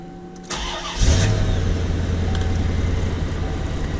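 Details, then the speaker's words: 1993 Chevrolet C4 Corvette with brand-new rebuilt engine, after correcting swapped plug wires (cylinders six and eight): short crank then smooth even idle, no lope or rattle; misfire fixed, all eight firing. "oh that's incredible that's that's a big difference"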